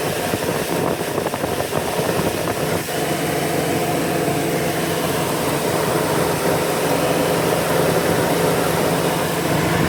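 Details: Petrol engine after a start at 100 degrees ambient idles with an uneven, stumbling beat from a cylinder 2 misfire.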